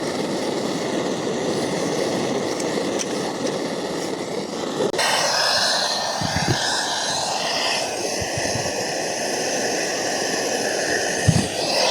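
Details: MSR Dragonfly liquid-fuel stove, owned a few years, during priming: steady hiss jumps suddenly to a louder, rougher roar with a few pops. Flare-up; owner suspects too much fuel, unsure, and thinks it needs a service.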